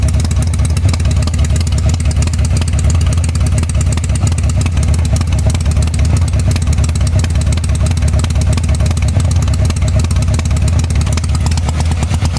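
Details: 1985 Harley-Davidson Sportster: lumpy, uneven V-twin idle with a heavy low thump that stumbles irregularly instead of a steady beat; the rear cylinder is misfiring.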